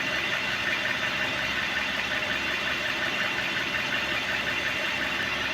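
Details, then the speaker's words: Hyundai ix35 G4NA engine, about 140,000 km, after a rebuild for scuffing knock: bored, oil jets fitted. First start runs smoothly with good oil pressure; steady, even idle hum with no knock or rattle. "запуск двигателя работает чудно давление масла работает"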